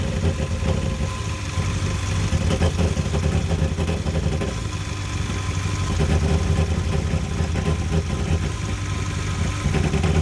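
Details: Yamaha 242 jet boat at idle: low steady rumble with uneven, lumpy beat and occasional stumbles in the pulse; suspected misfire, cause not confirmed.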